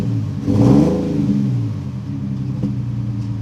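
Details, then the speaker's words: 2008 Nissan 350Z, after reconnecting an unplugged injector: a rough, uneven rev that sags with a sharp pop, misfiring and backfiring. "it seems like it's running worse starting to backfire now"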